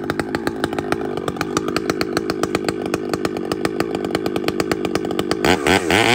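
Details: Chainsaw (a 395) with 3/8 chain cutting a cedar log gives a steady roar pulsing about four times a second, bogging; chain rakers set too high.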